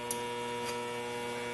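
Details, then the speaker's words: NuTone IM3003 radio intercom master station on bench, door talk selected, common failure mode before repair: constant loud low electrical hum with steady higher tones from the remote door speaker; radio display also locked up with no reception. "we have door talk even though you can't see it there's a loud hum coming out of my bench door speaker"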